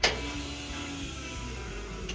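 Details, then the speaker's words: Toyota Toyoace being fitted with fuel tanks and wiring, key on, battery going flat: faint steady hum about a second, like fuel pump priming; fuel pressure seems present, not confirmed. "It sounds like there's fuel pressure. I know that sounds kind of silly."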